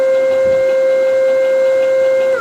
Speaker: okay so let's just do some movements here and you'll hear this issue i'm i'm talking about it there's a little bit of whip going on looks like from what i can tell